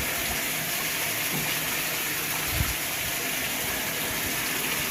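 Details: Whirlpool washer set to small load on cold water: a steady hiss of water rushing into the tub with no knocks or hum. The washer is filling normally, though it has a bad lid safety switch.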